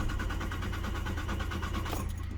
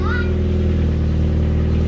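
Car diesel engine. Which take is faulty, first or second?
first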